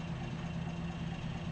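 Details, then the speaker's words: Truck, warm, after the carburetor repair: a spacer was added on the pin of the throttle lever that had caught on the carburetor body. It now gives a low, smooth, steady idle with no surging, idling lower than before. "so I put a spacer and pulled it in and now it goes up all the way in it doesn't idle as high either"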